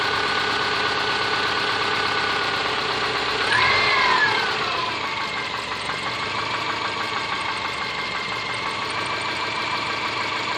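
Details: Subaru Forester SG5 with EJ25 engine: steady idle with a sharp, regular tapping about three per second over the engine note; knocking at idle, cause unconfirmed.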